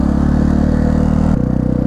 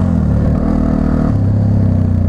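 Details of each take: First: 1999 Yamaha TTR 250 single-cylinder dirt bike after carburetor cleaning and an idle screw adjustment: even, quick putter holding a steady idle without stumbling, then settling slightly lower; normal idle. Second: 1999 Yamaha TTR 250, warmed up: single pops settle from a quick rev into a slow stumbling idle that sags and nearly dies; owner suspects throttle return not holding it open enough, so idle speed is too low.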